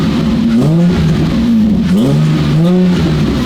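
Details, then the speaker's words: Rebuilt Nissan Maxima, freshly running after much work, engine still slightly cold and burning off residue: three quick blips rising and falling cleanly through a deep, smooth exhaust note; revs freely, normal. "It sounds great. Dude, that sounds amazing. That sounds so good."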